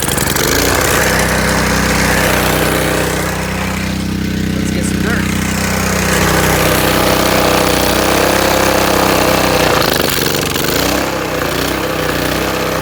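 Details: Honda GC190 190cc single-cylinder engine before the hydrolock tests: steady, fast chatter at constant speed with an even exhaust beat. Running normally.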